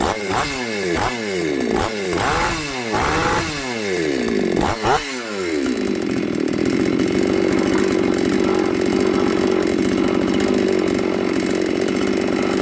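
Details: New Magnum G11 chainsaw that previously bogged and stalled when revved, after carburetor reassembly and removing the carburetor neck restrictor: about six quick clean rev blips then steady high full-throttle scream; normal revving.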